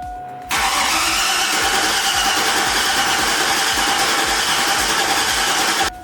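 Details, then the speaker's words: 2002 Silverado 1500HD being rebuilt with a big cam and ProCharger, cranked to build oil pressure with fuel pressure present but no mass airflow sensor plugged in: the starter whirrs steadily for about five seconds and the engine never catches. Cranking without firing. "did you see oil pressure yeah I think it should fire right up we do have fuel pressure and I realized I never plugged in any sort of math so it's not going to want to start"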